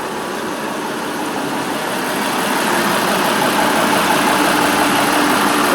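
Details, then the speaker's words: Truck diesel idling with the AC on after running about two hours: a steady, even idle under fan and air-conditioning hiss, no whistle or rattle; normal idle. "listen to it listen to what it's doing i mean it's been sitting here running for about two hours now"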